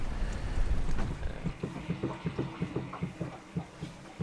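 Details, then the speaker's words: Classic sailing catamaran, port propeller drive under way; soft regular thump about three times a second under wind noise, owner suspects something wrapped around the prop, cause unconfirmed: rhythmic thumping. "so we've got a very strange noise coming from our port prop it's like a dump um potentially something wrapped around it but i mean it was working when we stopped the engine so we'll just check it when we get in i guess"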